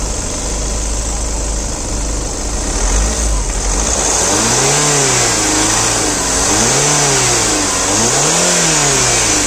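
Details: Skoda Superb 2011-2012: engine revs up and down with a wavering tone that rises and falls with speed over a busy hiss; abnormal engine noise, cause unclear.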